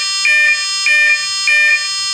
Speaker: That's a good sound. And that's a tune from the ESC saying that is heavy.